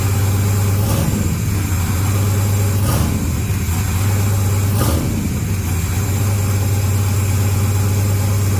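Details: 6.0 LS-swapped second-gen S10 with a newly fitted turbo, no exhaust fitted yet. Loud, lumpy open-pipe idle with a deep uneven rumble and heavy pulses. The engine is said to be running pretty rich for now, and the exhaust is still to be done.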